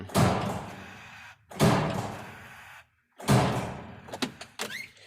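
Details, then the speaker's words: Cummins ISM diesel in an ex-water truck whose engine was declared bad after a dealer turbo replacement; transmission in neutral, batteries near 9.75 V. Three heavy clunks about 1.5 s apart with no cranking; the engine does not turn over. "Well, wasn't exactly what I was hoping for. Sounds like the starter's not turning, so next we need to find out if it's the starter not turning or if it's what I really think it is."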